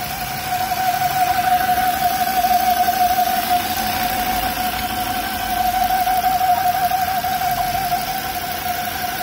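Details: Volvo S40 engine idling with a steady high howl near 700 Hz, a crankcase vacuum squeal from a clogged oil trap (PCV separator); the noise disappears when the dipstick is pulled out; resolved.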